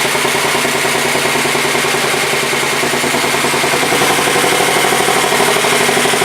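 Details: 1967 Sears Suburban 10 garden tractor, single-cylinder engine, first start after repairs: loud, steady clatter at constant speed with no misses or knocks, running fine; owner then checks charging system, finding low battery voltage after generator rebuild and new voltage regulator.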